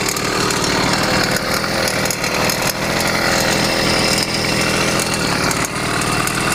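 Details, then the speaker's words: YD100 two-stroke motorized bicycle on test after a ramped-piston build, carb on its richest needle setting: fast, harsh metallic rattle in the top end over steady revs that appeared only once warm. "yeah that's a rattle in the top [Music] it didn't make that noise until it heated up"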